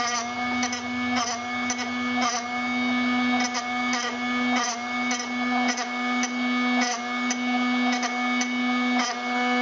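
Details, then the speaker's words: Drill Doctor 750X sharpener on a worn drill bit: steady motor hum with a light, fading scratch each turn, roughly once a second, after switching sides; barely cutting, grinding nearly finished. "Let's go to the other side. Starting to diminish. Barely cutting anymore."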